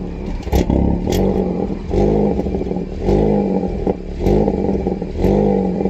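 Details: 2020 VN: engine blipped about once a second with sharp metallic ticks and tinny rattle on each rev; exhaust clicking and rattle, cause undetermined.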